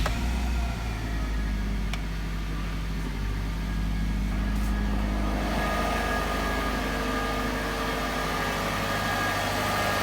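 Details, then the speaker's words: 2005 Saab 9-2X Aero turbo petrol, running again after a no-start probably from an empty tank and air in the fuel lines; hood off, coolant not yet bled. Even, steady, low idle rumble with no knocks or misses; normal idle. "All right, guys. Well, we got it running. We got it all put back together."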